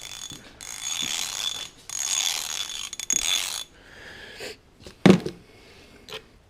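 Harsh, dry rapid clicking in quick bursts as the ratchet is worked; loud, rough pawl action suggests it is running dry.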